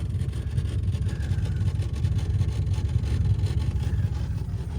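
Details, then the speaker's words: 1980 Lincoln Continental from a boneyard, idling with a deep, uneven, pulsing rumble. The air cleaner is disconnected, a vacuum leak is suspected, and there is an exhaust leak. The exhaust seems plugged, with nothing coming out the pipe; cutting the muffler off is considered. "that'll cause him to run a little rough it's not really smoking maybe yeah I think the exhaust is plugged on it"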